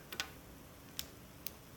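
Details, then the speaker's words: Glow plug relay from a 7.3 Powerstroke diesel, opened up and bench-fed from one battery on its DC coil: three sharp dry clicks as the contacts pull in and release, with a small pop, maybe a spark. "one battery makes a little bit of a makes this sound kind of like a pop maybe that's just a spark"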